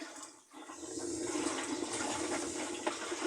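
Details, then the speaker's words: Brastemp large-capacity washer leaking oil and water: with the actuator spring released and locked, the basket is turned by hand, giving a rough, continuous rushing grind; tub bearings are completely ground up and worn out. "quer dizer que é uma máquina que os os rolamentos dela já foi para onde tinha que ir tá pessoal rolamento aqui esquece tá tudo moído de triturado"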